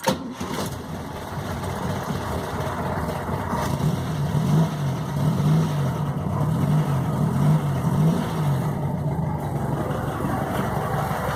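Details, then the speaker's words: VW Beetle (Fusca) air-cooled petrol engine after replacing the old, dried-out alternator belt: starts and settles into an even low idle, the earlier belt noise gone. "ae então galera é isso aí mesmo conforme o suspeitava então né agora com a correia nova o barulho sumiu"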